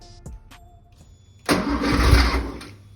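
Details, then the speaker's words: 1973 Porsche 911T flat-six sitting since 1998, points ignition just fixed; faint clicks while cranking, then fires with a loud ragged roar for about a second and starts catching. "Oh my gosh, that thing just fired up."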